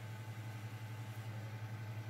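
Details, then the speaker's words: Xbox 360 disc drive after repair of a tray stuck closed that was grinding and scratching discs (pin realigned with the tray): quiet, low steady hum with a gentle even pulse as the disc spins up and holds speed, reading normally. "working absolutely fine so this time the whole hundred percent"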